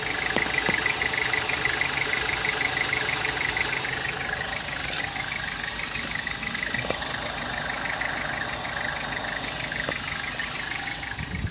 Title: Volkswagen Jetta 2014 weird noise after starting it up goes away after driving